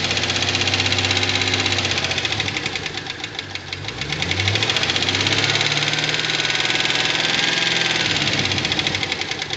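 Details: 2009 Pontiac G8 GT V8 idling: light crisp lifter ticking about four times a second that speeds up with a brief rev.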